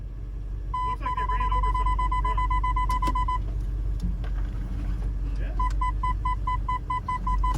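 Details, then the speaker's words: $1500 supercharged Range Rover at a salvage auction: a long steady dash tone, then beeps about four a second, for terrain response system defective and suspension compressor error messages as the suspension lowers itself. "Yeah, it's throwing a screaming fit right now."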